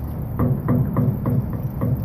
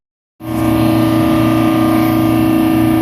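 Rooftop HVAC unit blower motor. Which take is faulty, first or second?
first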